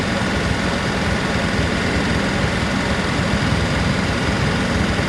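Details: Land Rover P38 V8 idling while warming up, after sitting over winter: deep steady rumble with light clicking; lifter or valve ticking, louder once warm, suspected sticking lifter before trying Rislone.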